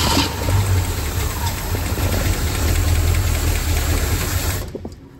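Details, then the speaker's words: 1966 Ford Mustang GT convertible, stored untouched over 10 years mid-restoration, start attempt on starter fluid: catches, runs rough and uneven about four seconds, then dies; hard start, fuel not keeping up; deposits on valves suspected. "there's probably a bunch of stuff on the valves that needs cleaned up so it's going to be a hard start for this first time"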